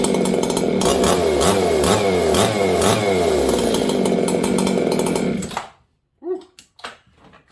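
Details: Old Jonsered 630 chainsaw with a new Husqvarna full wrap bar, first run since last used in winter. Loud, uneven two-stroke roar that burbles and wavers before the saw stops; carburetor mixture too rich.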